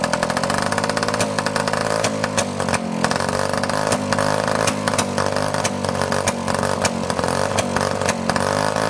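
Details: 1955 Messerschmitt KR175-2b two-stroke, first start after about 60 years of sitting: busy, crackly running with small revs and uneven pops, but it keeps running.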